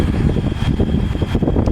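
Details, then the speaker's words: Haier 5K BTU window air conditioner, salvaged from a barn and cleaned and bleach-disinfected, test on high fan with no ducts fitted: a steady whoosh with an even rumble, a faint high tone and no rattles or scraping. High speed is normal. "Let's do high fan. Slightly faster."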